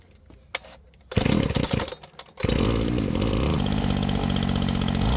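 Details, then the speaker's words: Flymo Maxi Trim 430 two-stroke strimmer after carburettor clean, split fuel metering diaphragm replaced and mixture leaned from rich: catches, stutters once, then a steady even high buzz with no misses or surging; running properly. "Okay, so it seems like the strimmer's working properly now."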